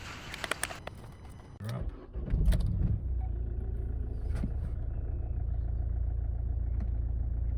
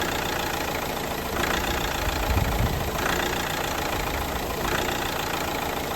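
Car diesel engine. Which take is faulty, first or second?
second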